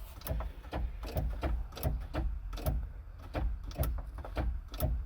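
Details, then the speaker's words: Bobcat skid steer that only clicks when key turned: sharp single clicks about twice a second near the operator's foot, no cranking. "oh here's some clicking down by my foot here"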